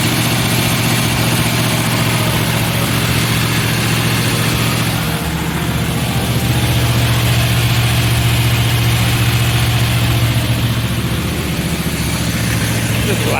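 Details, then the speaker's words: Engine just started after exhaust work: loud rough idle with a sharp, regular puffing tick on every firing pulse, suspected exhaust leak, not yet confirmed. "All right, here we go. We're going to fire it up and figure out how badly the exhaust leaks."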